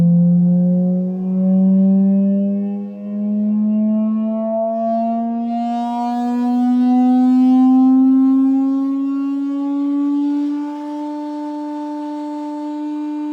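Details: Medion TV speaker during a 50-400 Hz frequency sweep and back. A smooth rising tone carries thin squeaky overtones: a resonant buzz or squeak in the speaker.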